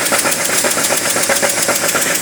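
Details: BMW E39 with M52 2.8 engine at idle, white smoke possibly from antifreeze mentioned: a sharp, regular ticking knock of about six to seven beats a second rides over an otherwise steady idle. Engine knock, source unconfirmed.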